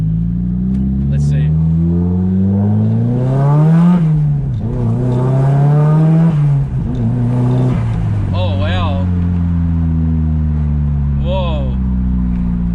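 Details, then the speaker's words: Nissan S15 Silvia SR20DET turbo after fitting a JJR stainless dump pipe and de-cat; the low-rev droning "tractor" noise is gone, boost comes on quicker, revs rise and fall cleanly; healthy exhaust note. "that's definitely different damn whoa well the tractor noise is definitely gone"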